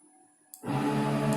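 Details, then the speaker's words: Mill CNC conversion on LinuxCNC with Mesa board, axis test at around 4,000–6,000 max velocity: quiet, then steady buzzing hum as the axis moves and holds; servo singing from poor servo tuning. "So that noise is bad servo tuning. I'm going to try and address that soon."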